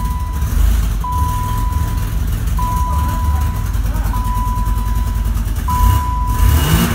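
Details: 1990 BMW E30 325iX, four-door, five-speed manual, first cold start after swapping out the rod-knocked, holed engine: the replacement petrol engine rumbles evenly with a steady high warning chime repeating.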